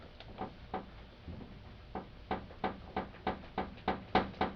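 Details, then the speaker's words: 1996–2000 Honda Civic idling at a stoplight: light sharp taps about three a second over a faint idle from hood rattle due to a misadjusted hood latch, fixed by loosening its three 10 mm bolts. "that annoying rattling sound of the stoplight you hear when you have a Civic hood rattle"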